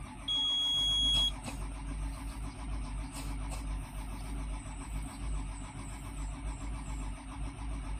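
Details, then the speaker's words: Volvo EC210BLC excavator, D6E diesel, new filters, no error codes: starter drones with steady low churn but engine never fires; crank no start. "So ayan mga boss ayaw talagang mag-start. So primer muna natin mga boss."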